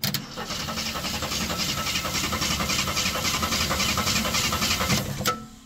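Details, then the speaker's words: Long-sitting 1972–74 AMC Gremlin, cranked via Ford starter solenoid with test plug grounded: even healthy cranking about five seconds, never catches; no spark at plug. "and we aren't getting any spark so let's get the multimeter out and see with our key on if we even have any voltage to the coil"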